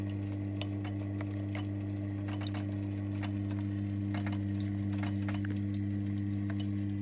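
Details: Lay-Z-Spa hot tub showing a constant E02 error: a steady pump hum with light, quick clicks about four per second from the water flow sensor. The fix is a flow sensor repair kit.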